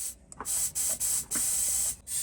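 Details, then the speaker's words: Turbocharged engine with air-filter inlet sealed by a timber plug and intake pressurized via tyre gauge: repeated bursts of thin, high hiss from a slow leak, air escaping through a split intercooler hose; boost leak, next checked with detergent-water spray. "can hear a slow leak coming from this direction here somewhere so next stop is to grab some detergent and water"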